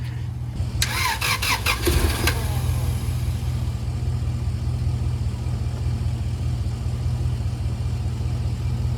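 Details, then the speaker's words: Honda Integra (DC2) junk part-out engine, at night on first start after install: cranks and fires, then a rough idle with a quick puffing tick about twice a second; exhaust manifold/header leak, owner suspects the header is dented or cracked. "When I started it, it sounded so bad, like I just blew a rod or something. But with this header, I don't know why, it just decided to change everything about itself. Maybe I dented it, maybe I cracked it, I don't know."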